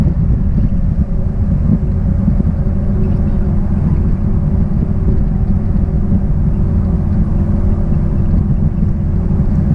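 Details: 1966 Triumph Spitfire, rebuilt 1147cc engine, driving after fuel system stripped and lines flushed: steady deep drone under load, even pulling, no misses or knocks over road noise; normal engine under load.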